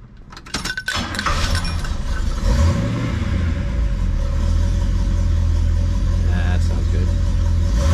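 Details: 1971 Oldsmobile Cutlass convertible after Quadrajet carburetor repair, fuel added to float bowl: catches after a few cranks and settles into a steady, even low rumble with no misses or knocks; running healthy, small fuel leak noted at carb.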